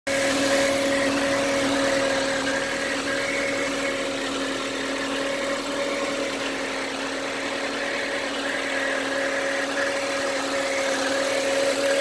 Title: Weird Engine Sound Passat B5 1.8